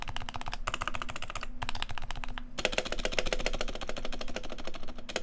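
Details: Unlubed, silenced switches in a side-by-side comparison with an identical lubed keyboard: fast bursts of dry, clacky keystrokes with a slightly scratchy edge; unlubed switch scratch versus the creamier, deeper lubed board.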